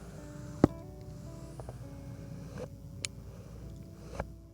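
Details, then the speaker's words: Cheap third-party Samyang zoom lens zoomed in and out: quiet room with a few sharp, separate clicks at end of travel; less smooth than Canon or Nikon lenses but not broken, just lower quality. "here at the end and then we hear the uh Nikon or Nikon the cannon nice and smooth all the way if you um had a u a bad lens um it would make all kinds of ranked you would uh have no doubt in your mind that there's something wrong with it"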